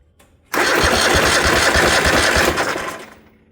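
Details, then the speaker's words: 1972 Gravely 816 with a Kohler Command 18, inline spark tester fitted: starter turns the engine at about three compressions a second but it never catches. No spark with the kill switch down. "Okay, no spark."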